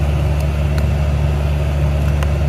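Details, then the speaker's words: 2013 Chevy Cruze AC blower before service, airflow restricted: loud, steady, jet-engine-like low roar; the cabin air filter turns out to be clogged with a rodent nest, and the noisy blower motor is later replaced. "my AC blower sounds absolutely horrible [Music] I don't know if the camera can pick up that sound but it sounds almost like a jet engine"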